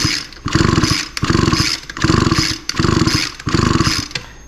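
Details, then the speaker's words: Echo SRM 225 line trimmer during a timing check: five even rope pulls with steady compression pulses, turning over normally without starting. The spark now fires slightly before top dead center on slow pulls. "and yeah it looks much much better this time um so before it would fire about here on a slow pull but Advance or this is actually retarding the timing it's firing way after top dead center uh but now it actually appears to be firing a little bit before top dead center even on slow"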